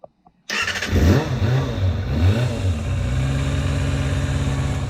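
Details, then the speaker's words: Kawasaki ZXR250 first start in 18 years, lube put in the cylinders beforehand: catches and spins up crisply, revving freely with a smooth, even, high-pitched Formula One-like howl, no misses or knocks, a little expected smoke. "got it does sound like a Formula One"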